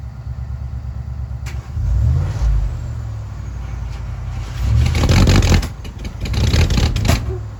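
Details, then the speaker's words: 1967 Mercury Park Lane, 410 Ford FE engine, cold start attempt on jumper cables: sluggish, uneven slow cranking, then a couple of short catches that die immediately; battery is dead, and spark output may also be inconsistent. "Just shortly. Just a very short time that it ran. But all right. Well, that's a no-go. I guess we will. Well, that battery's certainly toast, so we're gonna have to charge that"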